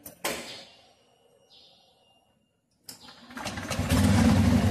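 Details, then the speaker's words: Motorcycle automatic (CVT) transmission after repair, with the CVT cover reinstalled and kickstarter checked. A quick start settles into an even putter, then rises smoothly under throttle; the CVT functions normally. "Kita hidupkan motornya, kemudian kita gas."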